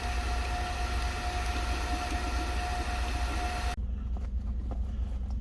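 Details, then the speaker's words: Water transfer pump emptying a fill tank into the storage tank under an off-grid house, left running after the last 20-30 gallons: steady drone with thin whine, then the sound abruptly lightens and hollows out as the pump starts running dry. "I'm going to let this run so this pump goes dry."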